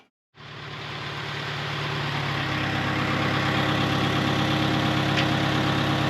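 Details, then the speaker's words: 1948 Farmall Cub tractor, long stored over winter, just started on a roughly 33°F day to warm up for an oil change: catches quickly and settles into a steady, even low idle that smooths as it warms; healthy. "It's been sitting a long time. See if she fires off. Whoop. Sounds like she will."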